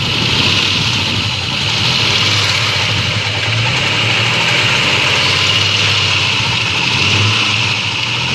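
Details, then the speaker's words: 1992 Ford Falcon EB II petrol engine idling unevenly, low thrum stumbling and choppy under a loud hiss, running on about three cylinders; spark tested well above expectation, compression slightly down; rough-running misfire, cause unconfirmed. "if you're wondering what all that noise was so did i it was so unhealthy and so unnatural and so much like a ford it also was only running on three cylinders or so go figure huh"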